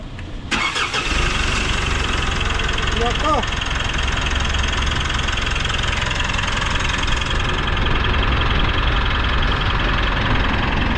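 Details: Mitsubishi Montero diesel after replacing a faulty alternator pulley that caused fan belt squeaking: starter cranks briefly, engine catches and settles into an even, steady idle with no belt squeal over the clatter; normal engine start.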